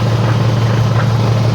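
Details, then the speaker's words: AWD car on a lift in gear, wheels turning at about 20-30 mph, heard through a long screwdriver against the hub: steady deep whirring hum from a front wheel; bad wheel bearing, also heard as humming while driving. "you can hear how bad wheel bearings over here oh yeah this one it's definitely bad it's making a whirring sound"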